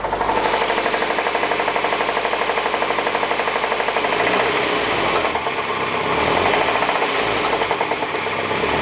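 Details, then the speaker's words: 1989 Honda Accord LXi: a steady hard knock in time with the crank that sharpens as revs reach 1500 rpm. Found to be the No. 3 connecting rod, with stretched end cap bolts and excessive journal-to-bearing clearance. "last couple days it's been knocking kind of weird. I know I had rod knock, but this is new."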